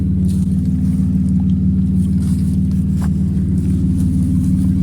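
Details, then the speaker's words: BMW E36 running with a new eBay fuel pump after the old pump was dying: a steady, even low engine drone at constant speed with no misfire, stumble or surging; runs much better, normal running. "run so much better with this fuel pump I mean the whole fuel pump was just dying"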